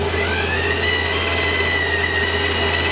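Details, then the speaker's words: Lathe power feed motor whining loudly during a 0.25 turning cut: thin high whine rises briefly then holds over a low hum; noisier on camera than in person; owner plans to replace it with a NEMA stepper motor and driver. "I am going to be changing this motor to a NEMA motor with a stepper driver, that sort of idea, and that will remove that noise issue that you've got. Can't even put my hand over it to stop the noise."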